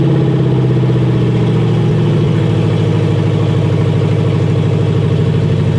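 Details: 1977 Chevy C10 with 4.8/5.3 LS swap, first start on new exhaust manifolds and in-tank fuel pump: deep, steady V8 idle with even exhaust pulses, no ticks or knocks, healthy.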